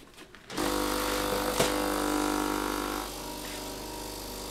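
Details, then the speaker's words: Philips LatteGo espresso machine after reassembly, brewing test: pump starts with a steady buzzing hum, then drops to a softer even drone as coffee is made, nothing failing at the back; normal brewing cycle. "tam nie wybuchło z tyłu No kawa się robi widzicie nie da się ukryć że się robi"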